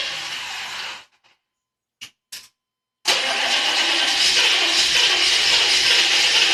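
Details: 6.5 diesel turbo crank, no-start: starter cranks in long even bursts, stops, cranks again, and the engine never fires.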